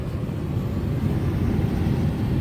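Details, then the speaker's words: Aging R22 AC with gas furnace, thermostat calling for cooling; outdoor unit kicks on only when wiggling a loose control board terminal, steady low rumble and airy whoosh, unit cycling from loose control board terminal. "So we're going to just wiggle some things around and see if that outside unit kicks on. There it went."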